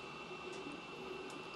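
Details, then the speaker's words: Creality Ender 5 S1 3D printer with silent fan upgrade at 200% print speed: steady airy hiss and thin high whistle from the part cooling fan, no rattles; normal fan noise. "a little bit faster a little more fan noise because of the part cooling fan looks like we're doing pretty good at this 200 print speed"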